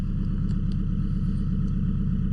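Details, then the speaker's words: EK Honda Civic with newly installed turbo, first startup, oil checked for leaks: even, steady low rumble, no misses, ticks or hunting; rock-solid AFRs, normal warm-up idle. "just letting it rock and warm up and everything burn off. >> We got basically I don't know if you're able to hear me. You basically got rock solid AFRs at idle here."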